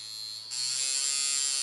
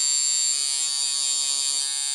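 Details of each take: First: Coil tattoo machine at 5.3 volts, contact screw being advanced during adjustment: thin, high electric buzz jumps louder and steadier as the contact advances; misadjusted contact screw. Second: Coil tattoo machine, contact screw backed one turn from contact and tightened: even, bright buzz at a steady pitch for over four seconds, then cuts off cleanly; normal running, well-tuned coil tattoo machine.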